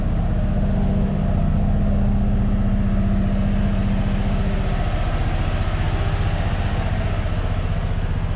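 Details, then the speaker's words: Truck V8 held at 2,000 rpm: uneven loping beat about three per second, still misfiring; coils checked good; stuck valve diagnosed; treatment ongoing. "and it still sounds it still sounds like it's not doing it so I imagine I'll be doing this for a few uh days or a few weeks"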